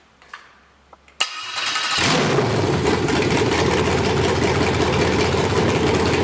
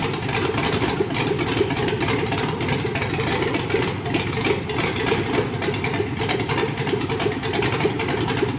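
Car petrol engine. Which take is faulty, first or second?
first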